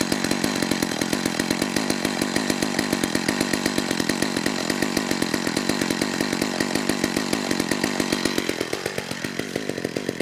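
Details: McCulloch Eager Beaver 2.0 cu in two-stroke chainsaw after carburetor clean (was a no-start), no purge bulb, air filter fitted: steady rapid crackle at moderate speed then slurring sag; suspected the filter richened it, low-speed jet needs leaning.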